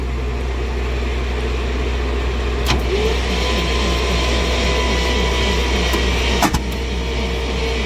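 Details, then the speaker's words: 1961 Dodge C800 truck, engine sitting 20+ years, carburetor fueled and spark present: steady cranking with an uneven chuff and sharp backfire pops, no start; pushrods later pulled, cause unconfirmed. "yeah back the way we had them originally because we figure that backfire is better yeah the backfire there does not look better"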